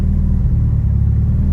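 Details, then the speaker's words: Mitsubishi Evo 9 after repairs cleared all codes and warnings, ignition timing corrected with timing gun: smooth, even low idle rumble with steady beat, no knocks, misses or whine; idling cleanly and healthy. "We got rid of every single code and warning. Everything is gone and corrected. This way, like, peace of mind there. And the car's idling really good."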